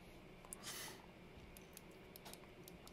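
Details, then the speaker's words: Sony SRS-XB100 Bluetooth speaker after battery replacement and reassembly, power button aligned with PCB button: crisp, clean, firm single clicks in a quiet room, buttons working properly; speaker turns back on. "check the the buttons make sure they are clicking if you hear the clicking sound then everything is all right"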